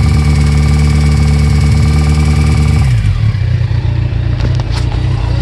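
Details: Kawasaki ZX14 idling with a deep, uneven knock under the low exhaust rumble; owner suspects a spun bearing on the number 3 cylinder from poor oiling, or possibly the cam chain tensioner; unconfirmed.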